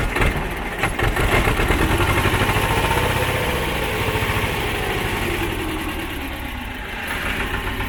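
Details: Belarus 250AS tractor, two-cylinder air-cooled high-compression diesel, 12 volt, after fitting 3/0 battery cables to cure slow hard cranking: short crank, catches quickly, even steady idle thump; normal start and idle.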